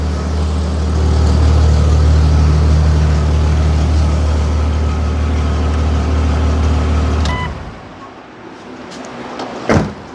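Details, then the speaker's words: Jeep after retightening gaskets: low, even hum idling steadily at 800 for about seven seconds with no knocks or misses, then shuts down; healthy idle, sounds as it should. "idling steadily at 800"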